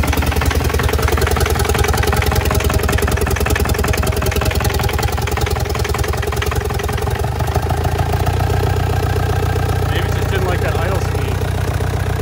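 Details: Audi A4 with an ALH 1.9 TDI diesel swap, just fired after an idle throttle screw adjustment: an uneven, lumpy chug about twice a second that steadies slightly. Owner suspects timing may be off a tad or the fuel pump. Rough idle.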